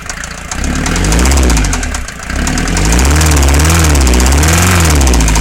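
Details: Mercedes Vito 108D 2.3 non-turbo diesel after a new head gasket and piston rings, smoking at times: idles with a heavy, regular knock, about three to four a second, over a slightly wavering note; cause unknown.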